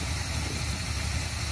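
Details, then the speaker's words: 1979 Chevrolet K5 Blazer, hot-rod rebuilt 350 V8 (Crane .454 hydraulic roller cam, double roller timing chain, planed double hump heads), sat since the 90s, cold start: steady, even low rumble with no misses, normal idle. "johnny you did a hell of a job building that motor that thing don't miss nothing sitting there burning"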